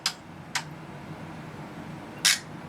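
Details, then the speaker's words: Tektronix 2465 DMS/CTS oscilloscope that arrived dead and shows shrunken, unreadable text on the CRT: three crisp relay clicks over a quiet hum during the internal self-test, normal relay switching. "and then it runs this internal test and you'll hear that clicking relays"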